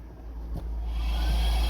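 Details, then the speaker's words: 2003 Cadillac DeVille DHS with a P0410 secondary air injection code, engine cold. The secondary air pump is commanded on with a scan tool after being removed from the frame rail. A steady electric whir builds after about a second and holds an even pitch, so the pump is running normally. "Okay, here's the scan tool. You'll be able to hear that pump. It's loud enough, so command it on."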